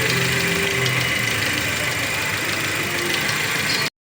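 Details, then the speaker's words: Toyota Rush petrol engine idling smoothly with a steady hum after repair; the earlier loud noise is gone; the water pump was suspected and replaced after removing the drive belt and spinning pulleys; normal idle. "Okay, napaandar na natin 'yung makina. Nawala na 'yung tunog nung ano nung maingay kanina no. So ayan, success tayo."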